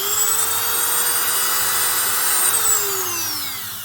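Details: Small Dremel-type rotary tool running with no accessory on the spindle: clean, steady whine, smooth wind-down, showing the motor is balanced; its buzzing comes from a loose field worn into the plastic housing.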